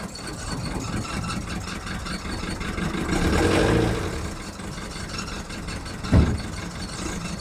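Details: VW Golf mk1 1.9 TD turbo diesel warming up after first cold start following 5 months storage: uneven lumpy idle clatter with wavering beat and a mid-way surge; rough cold idle.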